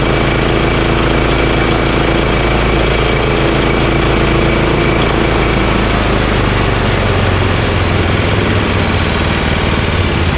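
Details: Honda GX340 single-cylinder in EZGO Workhorse golf cart repower, after verifying key start and kill switch shutoff: low steady thump at settled idle, no stumbling, knocking or hunting. Normal idle.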